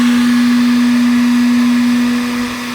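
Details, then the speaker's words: Stock RV refrigerator cooling fan, triggered with a heat gun. A loud, steady, fixed-pitch drone; lifting the fan makes it somewhat quieter but it stays really loud. "that's what this pound sounds like it is and I can lift it up it does get quieter but it's still really loud and when you're sitting out of the campsite and this comes on it's somewhat annoying"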